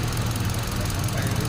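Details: 2017 Hyundai Accent at idle: rough, lumpy idle with a low uneven rumble; cylinder number two not firing and getting no power at its ignition coil.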